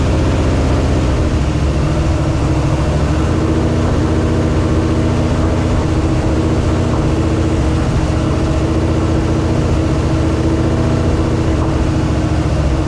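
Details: 1968 AMC Rambler American 401 V8, first start after a rebuild and ten years sitting, on break-in: deep steady rumble, even firing, no knocks or ticks. Running fine but needs tuning; it was getting hot and was shut down.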